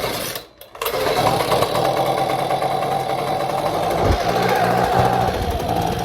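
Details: Echo PB200 small two-stroke, freshly coaxed back to life after starter spray and throttle, catches and runs with a ragged, uneven buzz under throttle, never settling into a clean steady note; running rough, air filter off.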